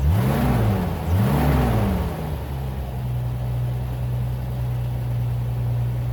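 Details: Bitter SC 356, just revived after a no-start: two quick throttle blips then even idle, with a nasty knock owner is concerned about, possibly requiring opening the engine; cause not yet found.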